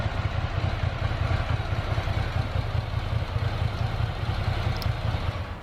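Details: Ducati Monster 800 V-twin, revived after 4 years dormant with new fuel pump and battery, returning from road test: deep, lumpy, loping idle at an even pace with no knocks or rattles; normal idle, no issues.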